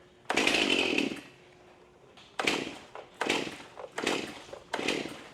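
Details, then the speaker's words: Fairly new STIHL MS271 chainsaw, customer says it runs but bogs when the trigger is pulled: fires on choke, revs under a second and dies; later pulls give only short bursts, won't keep running. Muffler screen to be checked next. "so it it fired up when it was on choke and it it ran for a second and it died on out"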